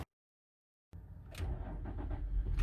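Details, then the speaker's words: 2003–2008 Infiniti FX35 3.5L, cold start after belt squeal fix (previously squealed loudly for first seconds when cold): cranks and catches cleanly, settles into low even idle with no belt squeal. "There we go. And there you have it. There's no more squeal."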